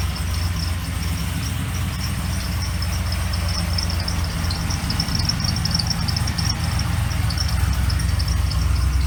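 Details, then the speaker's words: Trailblazer SS with supercharged LSA-swapped LS2 idling, a rapid high bird-like chirp about four times a second from the belt drive, worsening as it runs; chirp disappears with belt removed, pointing to pulley dirt or the serpentine belt. "it could be actual dirt in the grooves of the pulley or i could just be a fan belt so what we're going to do is we're going to test out we're going to find out what the cause is and try to rectify the situation"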